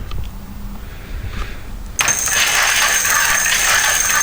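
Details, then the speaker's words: Car alternator used as e-bike motor, driven by a PWM controller at about 12 volts, standard alternator pulley with V-belt to the rear wheel; steady high whine with a light rattle under throttle; motor spinning freely, normal running. "so if I leave that there and then turn the throttle you can hear the motor really spinning"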